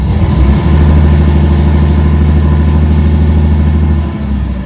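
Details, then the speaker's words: 1970 Porsche 911T flat-six, before its first drive in over a decade: loud, lumpy idle with uneven low beat, not firing on all cylinders, possibly just the exhaust; later smooths out once warmed. Misfire. "oh fired right [Music] [Music] up doesn't sound like all the cylinders but could just be this exhaust"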